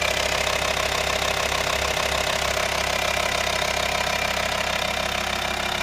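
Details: VW T5 2.5 TDI (BPC) diesel at idle: sharp, regular tapping about three times a second over the idle; engine knock, cause not pinned down.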